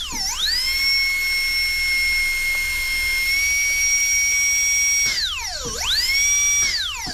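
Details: DCI 6310 foot pedal dental delivery unit, handpiece run on channel three while checking drive pressure against gauge: very high steady whine dipping briefly under load and snapping back cleanly; healthy, normal.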